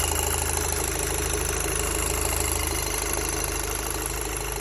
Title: Audi TTS 8J Motorgeräusche klappern